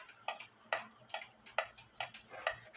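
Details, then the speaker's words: Black Forest Biedermeier box clock, circa 1870/80, wooden plate movement, after leveling the case; crisp ticks evenly spaced about 0.43 s apart with no limp, beat amplifier indicates it is now running more in beat. "Got the beat amplifier back on it. The beat amplifier tells me it sounds like it's more in beat."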